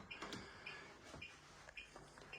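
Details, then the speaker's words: Acorn stairlift beeps short and high about every half second because it is parked off its charge strip; it beeps continuously for about 40 seconds when not on a charge point. "You can hear it beeping. The reason why that's beeping is I'm off the charge point."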